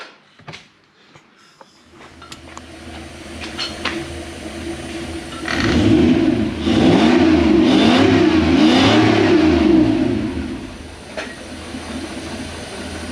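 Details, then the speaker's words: Toyota 1UZ V8 swapped into a Hilux Xtra Cab, back in the truck: catches and settles into an even idle, revs up and down cleanly with no misfire or knock; it had only been held up by the fuel pump after sitting too long. "it sounds like it's running what'd you find it's just on that fuel pump sitting for too long"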